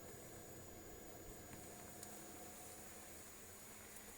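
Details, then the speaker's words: Diesel heater in a Vauxhall Vivaro campervan after 45 minutes, fan at lowest setting, still giving warm air: quiet, even fan hum with only a very faint occasional tick from the dosing pump; running normally. "So that's taken 45 minutes to get to that temperature, and you can hear now that the fan is just ticking away at its lowest speed, lowest setting, and we're still getting some really nice warm air coming out"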